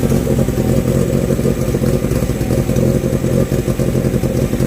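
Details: Renault 16 TX engine started after rebuild; dense, even low drone with steady rhythm and no knocks or misses, running clean and healthy.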